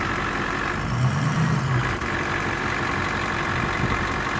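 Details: 2006 Ford F250 6.0L diesel at idle: a steady, gritty grinding underneath that stays level with no clear rhythm; source not identified.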